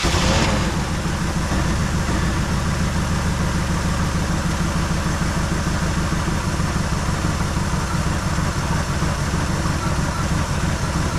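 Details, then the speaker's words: 1973 Chevrolet Malibu parts car started after 25 years sitting, points checked, fresh gas and ether, oil full: rough, lumpy idle with uneven low chuff and stumbles, missing on probably three cylinders; may have pulled old gas into carburetor. "Doesn't sound very happy. It's missing on probably three cylinders."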